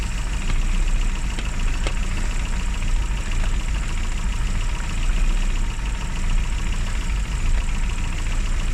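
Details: Classic Mini (Riley Elf) with points ignition, idling after a hard cold start on the year's coldest day, following about three months unused: steady, even low idle with faint ticking, running normally. Advice: after a lay-up, run at least 30 minutes.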